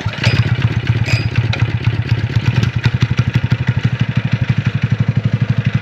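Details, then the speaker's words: DIY trike with a scrap power-washer single-cylinder engine and a salvaged muffler just fitted: even thump at about four beats a second settling into a clean steady rhythm; sounds much better with the muffler, runs healthy. "ride sounds way better with that muffler on it"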